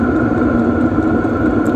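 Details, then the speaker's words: Hcalory diesel heater on temporary setup, just ignited and getting warm, no visible exhaust smoke: steady even hum with constant fan and burner whir, no surging or sputter; running normally. "starting to get a little heat you can hear it spooling up maybe you can hear the wind of in the mic"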